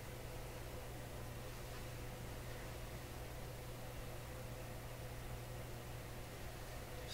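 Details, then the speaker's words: DeForest Crosley shortwave radio, all paper capacitors replaced, first power-up in decades at full 120 V drawing 80 W: quiet constant low hum under faint hiss from the radio; cause not yet found. "Let's go all the way. Here we go. Okay, things are humming."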